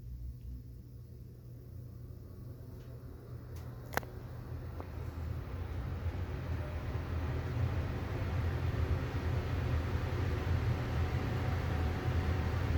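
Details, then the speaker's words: Amana 95 IIQ two-stage variable-speed gas furnace running on continuous fan: soft, steady rush of air building gently then holding, no rattles or scraping; blower sounds healthy, normal run. "And this is continuous fan. We can demonstrate that now."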